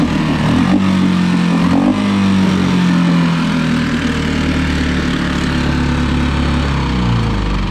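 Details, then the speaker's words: Mercury 4-stroke outboard (3.5–6 HP class) after a carburetor replacement, water-tested while the tell-tale stream is checked: an even, steady buzz with a rapid regular firing beat and no misses or sputters. Running cleanly. "all right guys I got some water here we're gonna try it out see how it does make sure it's peeing"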